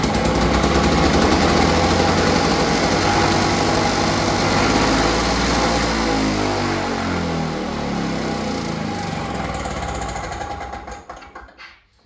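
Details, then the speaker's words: Small single-cylinder engine after repair and carburetor fuel line refitted, primed and pull-started: fires up, runs at steady even beat, then shuts down; noticeably quieter, problem resolved. "straight away I can hear that this mole is less noisy so this has resolved the problem"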